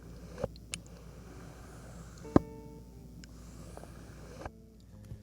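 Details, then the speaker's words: Cheap third-party Samyang zoom lens zoomed in and out in a quiet room: a few sharp, isolated clicks at the end of its travel. It is not broken, just a lower-quality mechanism that is less smooth than Canon or Nikon lenses. "you'll be able to hear the difference Zoom it in and out and see what it sounds like you hear that kind of clicking and here at the"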